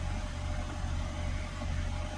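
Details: Mini Countryman after replacing faulty brake servo pressure sensor to fix stop/start fault: smooth, steady petrol idle with even tone, no knocks or misfires; warning arrow gone, engine light cleared after restart.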